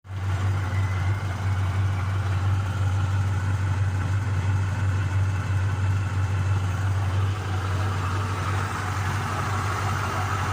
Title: Камаз с турбиной после ремонта